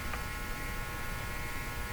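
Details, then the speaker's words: Buzzing noise from an Eddystone S770R VHF receiver with the antenna just swapped onto it from a signal generator, tuned near 21; a steady electrical buzz with high whine and low hum, possibly the receiver already picking up the signal; source undetermined. "Who's making all that noise? Oh my god, is that actually picking the signal up already?"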